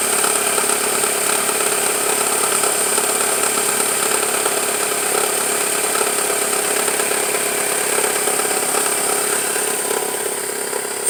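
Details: 1999 Toyota Camry LE petrol engine idling cold with a fine, uneven rattle from around the timing belt area. It happens mostly on cold starts and subsides once warm; cause unconfirmed.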